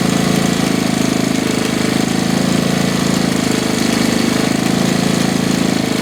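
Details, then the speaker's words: 1969 Honda CT70 small single, long-sitting, running after first start: quick, fairly even thump at idle with no stumbling or hunting; alternator working; old oil smells funny and oil is in the exhaust, likely from being hauled on its side. "That's better. Smells funny. But it's that water oil."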